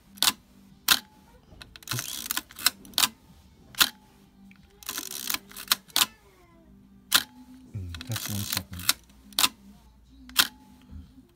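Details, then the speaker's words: Nikkorex F camera shutter on B mode, held for one second: sharp clacks with a clean one-second gap between opening and closing, shutter timing correct. "that's how it's supposed to sound"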